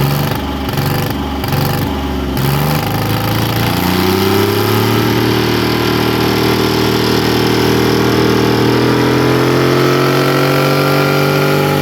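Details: 1963 Chamberlain Super 90 tractor with a 3-cylinder two-stroke supercharged GM Detroit diesel, revived after years parked, starting fluid squirted into the intake manifold: slow cranking chuffs, then it catches and the pitch climbs high and holds in a brief runaway before shutdown.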